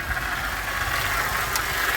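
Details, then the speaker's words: 2006 Pontiac Grand Prix just after an ignition coil swap, idling with 14.6 V charging: a faint, wavering high whine rides over the idle. It is low on power steering fluid, and the owner suspects the power steering pump is going bad. "that sounds like maybe the power steering pump is just going bad"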